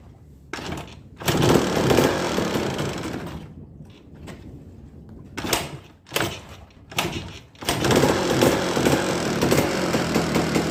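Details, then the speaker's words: Yamaha DT200 two-stroke after magneto refit: loud irregular pounding knocks about two or three a second over rough running; heavy internal knock, owner suspects internal play and will split the engine, not confirmed. "Esse motor aqui ó eu vou ter que abrir ele no meio porque ele tá fazendo um barulho muito alto eu vou colocar um pedacinho aí do vídeo do barulho dele para vocês entender a gravidade do negócio aqui"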